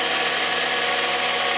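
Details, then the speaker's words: Engine idling with a steady, thin whine from the alternator that follows engine revs and is faint at low rpm but gone when driving fast; the owner suspects the brushes/regulator or diode pack is failing. "อ่านี่นะครับได้ยินมั้ครับมันจะมีเสียงหอนขึ้นมามันจะไม่เงียบนะตัวนี้คือไดชาร์จนะครับ"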